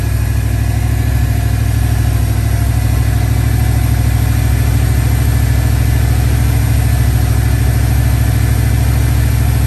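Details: 1969 Dodge Dart V8 after new distributor and ignition repair: strong, even, steady running with no misses or stumbles; ignition firing cleanly, though owner suspects a burnt valve or two.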